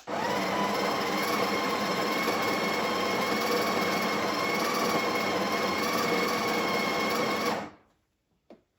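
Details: Breville Barista Express BES870 built-in grinder on a lightly worn used machine, grind dial near one to two o'clock, second dose toward 17–18 g: even, steady whir about 7.5 seconds then clean stop; grinder sounds healthy and smooth.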